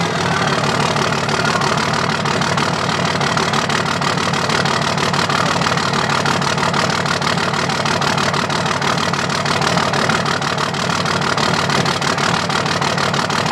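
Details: 2005 Dodge Cummins diesel at idle, loud clatter with a lumpy beat and regular stumble where one cylinder drops out; dead cylinder misfire from a bad injector not firing.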